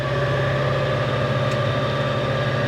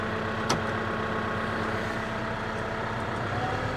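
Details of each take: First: so thick out there mow is definitely struggling but fuel light's not come on so I think we're okay do you hear the belt squealing they not Second: Tractor-driven grass mower for hay spun up after setting belts and greasing PTO joints: engine note climbs as the drive engages, then settles into a smooth even whine with no banging or crunching; runs normally.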